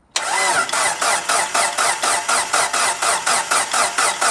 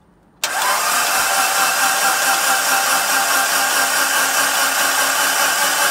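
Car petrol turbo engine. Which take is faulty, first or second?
first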